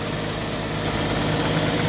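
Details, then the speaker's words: 1964 Chevrolet Impala, after sitting since 1995, just after oil change with fresh Valvoline mineral oil and new filter: steady, even idle, smooth low rumble, no knocks, misses or ticks; normal idle. "gonna let it run for a while then we're gonna top it off she's running pretty smooth"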